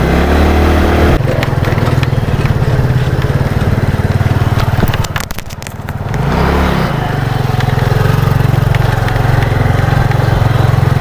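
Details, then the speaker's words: Yamaha Mio Sporty carburetor scooter: revs, then stumbles with ragged popping as throttle closes, nearly stalling before recovering; carburetor cough on deceleration; carburetor to be removed and checked. "waktu turun gas suara ada suara batu bagian karburator ada suara batu tapi motor belum mati Coba kita balik lagi ke bengkel saat turun gas dia ada suara batuk bagian karburator"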